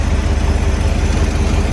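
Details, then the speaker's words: Corvette V8 on its own cleaned tank with new fuel lines, charger on dead battery: deep steady idle with faint puffing chuff on each pulse; exhaust leak at passenger-side collector donut, air felt there. "Sounds all right. Definitely got an exhaust leak. I did pick up an exhaust donut for this passenger side. I hope that's what's leaking."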